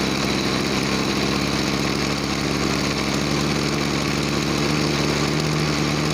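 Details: Small two-stroke agricultural sprayer engine, formerly bogging with no power on throttle, after carburetor cleaning and air/fuel screw adjustment: high buzzy drone holding steady revs without bogging or stumbling; normal running.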